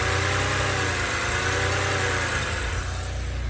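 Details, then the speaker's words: 2006 BMW X3 E83 2.5i six-cylinder after replacing all spark plugs (coil packs recently replaced) for misfire and engine light; smooth even idle, no misses, ticks or knocks, running fine. "so that's perfectly fine it's running running fine no noises no dramas here but"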